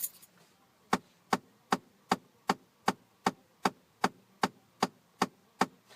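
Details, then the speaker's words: 2011 Ford Explorer dash: sharp, evenly spaced clicks about two and a half a second after the key is pulled, from the recirculation door motor; failing HVAC recirculation door actuator clicking. "and the only actuator that's actually moving after you pull the key out is the Reser door motor plus you can kind of hear it's over here"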